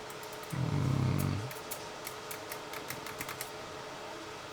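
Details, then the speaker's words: Nikon L35AF film camera with a stuck shutter and power fault, after the power problem was solved: the shutter keeps cycling with fast light clicks, about three to four a second, instead of stopping after one shot. Owner suspects a faulty switch or a freely rotating cam not stopping in position. "yeah but this thing always rotating and shooting that's not normal so there really was a problem within this switch"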